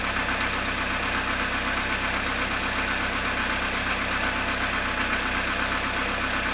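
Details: VW Polo Sedan cold start at −1 °C after sitting 19 hours: cold idle with a steady, fairly even tapping about three knocks a second over the engine hum. Engine knock on cold start.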